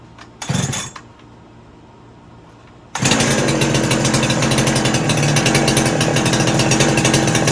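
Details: Farm Tech Husqvarna 372XP clone chainsaw after cylinder swap and porting, warm after heat cycles, no bar and chain fitted: quiet, then screaming full throttle with slightly burbling, uneven note, four-stroking a little from rich high-speed mixture.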